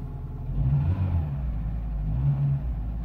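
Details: 2002 Renault Clio II that wouldn't start with immobilizer red light after flat battery, now running after operating wipers and switches: low even rumble swelling slightly as revs rise, no misfire; normal running.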